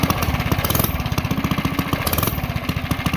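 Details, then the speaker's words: Coleman CT100U mini bike engine running on the governor: quick, even firing pulses held steady by the governor, no misses or knocks; normal running. "This time around, we're going to leave the zip tie and run it with the governor. Here's what it sounds like."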